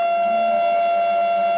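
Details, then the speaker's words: Yaskawa CPCR-MR-152G DC servo drive servoing a motor back and forth: steady high-pitched whine with faint rising tones. Noisy servo motor, suspected to come from a motor not matched to the drive. "now this isn't the motor that was designed to work with this Drive right here so I imagine that's all part of that mismatch from why we're making so much noise when we servo back and forth like that"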